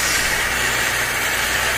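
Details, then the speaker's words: Toshiba 19HV10E LED TV: constant loud hiss from audio output, no clear program sound, worse once warm; noisy audio fault, cause unknown. "Suaranya sangat berisik coba Fauziah kita mood kita mood kami posisi kita mood suaranya tidak bisa jernih nasib bernoise"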